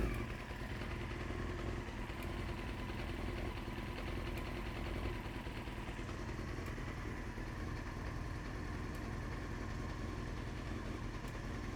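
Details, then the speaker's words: 1993 Honda CBR900RR, first run after troubleshooting, choke off: steady, even low idle with a soft mechanical patter and no stumbles or knocks; smooth idle, though blue smoke appeared at first and was burning off. "but it runs so that's that's a huge sign and it's a smooth idle"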